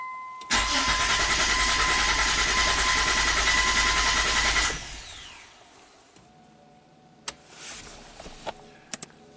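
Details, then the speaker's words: 1998 Mitsubishi Montero Sport V6 with sluggish acceleration, cranking at wide open throttle with three ignition coils unplugged, amp clamp on starter cable: steady even starter pulses, no high-low pattern; normal cranking with even compression across both banks. "to me that sounds normal see all the humps are even it's a v6 engine so if there's a bank to bank problem we would see high low high low"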